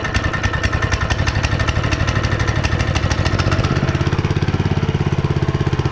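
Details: Honda GX160 5.5HP on concrete power trowel, unrun for years, first start after repair with a little gas poured in cylinder and cleaned spark plug: steady, even single-cylinder chugging quickening slightly as it settles; running fine while warming up.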